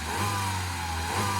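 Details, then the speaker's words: Peugeot RCZ given a big rev: steady, even engine note held high with no tapping or knocking underneath; the suspected big-end rattle is absent and the engine is healthy. "There ain't nothing wrong with that."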